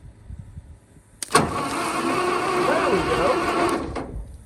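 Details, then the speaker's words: 1922 International truck sitting 30+ years, starter with solenoid bypassed: labored uneven crank about three turns a second, no firing; starter brush or armature dragging and draining cranking amps. "the starter works it does have a brush the armatur dragging in there cuz it's draining a lot of good old cranking amps out of the battery"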